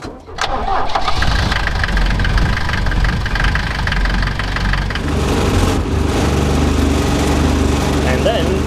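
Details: Civil-defence Mercedes T2 406D diesel, cold start after holding the glow plugs 10–20 seconds until the glow wire is red; water pump still leaking. Short crank catches at once, then a steady low clatter settles into an even idle. Normal cold start.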